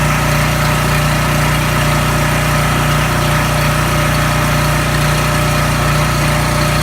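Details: Coleman 5,000 W generator with Briggs & Stratton engine, serviced, lubricated and adjusted after governor replacement (part 277-42201-33), rpm checked with tachometer: constant-speed drone holding perfectly steady, no hunting or surging; normal governed run.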